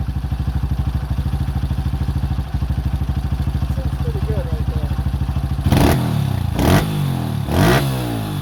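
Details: 2005 Honda CRF150F after valve adjustment and carburetor tune-up for a no-start, idling during carb adjustment: an even, steady thump about once a second, then a few throttle blips that return cleanly. Runs healthy.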